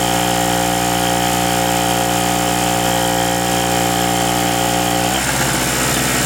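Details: King Canada 950W (800W running) two-stroke generator, previously non-starting after sitting, repaired and tested under heat-gun load: steady high buzz whose tone drops as load comes on, then settles; running fine under load.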